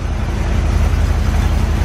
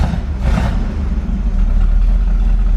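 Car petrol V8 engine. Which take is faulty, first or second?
second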